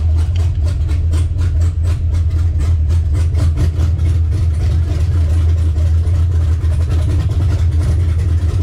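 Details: LS-swapped Monte Carlo V8 with big cam on ACES Jackpot EFI, second start-up with oil pressure confirmed; deep, loping, even lumpy idle, strong and steady; normal cammed idle.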